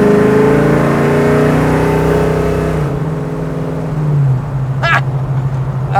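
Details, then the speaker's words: 1970 Chevrolet Chevelle Malibu SS clone restomod, big-block V8, accelerating at about half throttle: strong pull with smooth, steadily rising note, then even settle off throttle; sounds healthy under load. "didn't know nowhere shape or form apply my foot hard on that gas pedal that was plenty i was about halfway"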